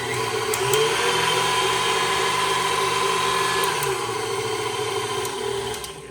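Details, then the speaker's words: KitchenAid Artisan stand mixer after replacing stripped plastic worm gear (motor ran but didn't spin): steady motor hum with smooth gear whir at constant speed, no skipping or grinding; normal running. "It's like brand new again."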